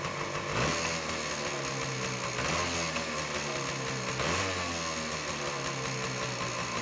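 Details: 1978 Suzuki PE 250 two-stroke dirt bike awaiting restoration, started after carburetor float work, throttle cable likely the wrong one; raspy crackle at steady idle with quick throttle blips, clean pickup and even return, running fine.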